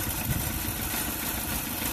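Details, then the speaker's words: 2005 Dodge Neon 2.0L with a bad head gasket, started cold for a coolant combustion-gas block test: the petrol engine idles roughly, its low thrum uneven and stumbling with a misfire. "So I guess we'll go ahead and start it. Ratchet's off, we're good to go. You can hear it misfiring."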